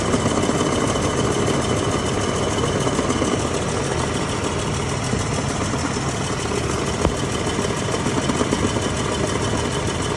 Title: 4L30E noise at idle